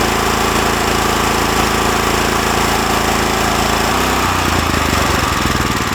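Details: New Lifan LF390QE Pro (heavy duty, GX390-type) petrol engine on a flail mower, rubber-mounted, started on choke with booster pack on a cold day: loud fast chug settling to a slightly lower steady beat, no knocks; healthy.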